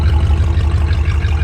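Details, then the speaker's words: 1957 Ford Thunderbird, heard from the rear at idle: deep even V8 burble from the tailpipe with steady pulse, no misses or rattles; healthy exhaust note. "hey do not make cars like they used to no doubt about it this thing sounds awesome looks awesome"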